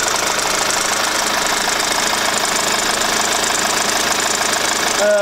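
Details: Kia Grand Carnival that made a squeaking bird/cricket noise from a rusted, failing damper pulley; after installing a new damper pulley the engine idles steadily with an even hiss and only a faint leftover chirp, the noise much reduced.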